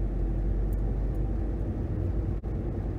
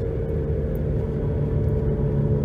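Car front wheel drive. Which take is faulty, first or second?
second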